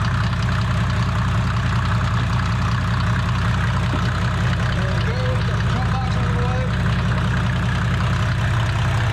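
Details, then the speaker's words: A 1987 Mercedes 300SD W126 turbo diesel (OM617 per title, called OM603 when started) with 264,000 miles, just jump-started, idles with a deep, steady, even clickety-clack and no misses or knocks. This is normal diesel idle clatter. "walk outside here bulletproof motor there sounds like an old mercedes diesel clickety-clad clickety-clack you can't kill"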